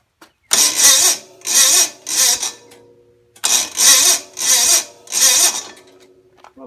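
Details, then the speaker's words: Gravely 450 Onan CCKA engine, roughly 45-year-old original starter with lubed Bendix, jumper box: several short sluggish cranking bursts that never catch; starter works but lacks power, later replaced with a new starter. "starter is working right but it's just got no power is that got a lot of compression out of this motor here real"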